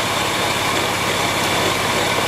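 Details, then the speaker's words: Porsche 911 996 C4S engine idling, serpentine belt pulleys checked with a stethoscope: steady gritty whirr with vibration felt by hand, traced to a worn tensioner pulley bearing rather than the idler, water pump or alternator. "I can actually feel the vibration through my hand so but slightly annoyingly it's actually the uh tensional pulley"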